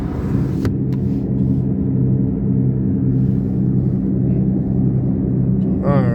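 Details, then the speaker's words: Toyota RAV4 heard from inside the cabin while driving: a steady low droning rumble with slight vibration felt underneath, from a damaged left rear wheel bearing. "Le roulement de la roue arrière gauche fait du bruit. je ressens une légère vibration en dessous de moi."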